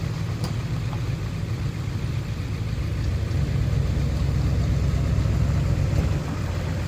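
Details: Ford 7.3 Powerstroke diesel after replacing suspected bad crankshaft position (CPS) sensor for cutting out/no start: deep, even idle holding steady, no stumbles or cut-outs; healthy idle after fix.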